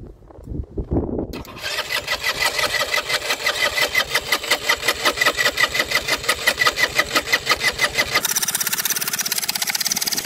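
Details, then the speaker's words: Baotian BT125T-2 125cc scooter, first runs after cleaned 24mm carburetor, new ignition, GY6 50cc CDI: fires up, metallic ringing clatter pulsing about three times a second over idle, something engaging. Owner suspects starter clutch; noise lessens with more running. "so the more I run it the less of the strange noise is appearing so it's getting better and better"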